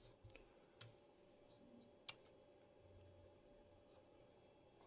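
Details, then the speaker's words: Old, defective Beamex BIC 10 instrument calibrator powered from mains on the bench: quiet hum with scattered sharp pops and a thin rising whistle from an overheating tantalum capacitor. "uh talium capacitor the red one ER it started to get uh dark and it set a lot of funny sounds and what you see here the little blops coming out of it is actually liquid um talium I guess it's coming out of it"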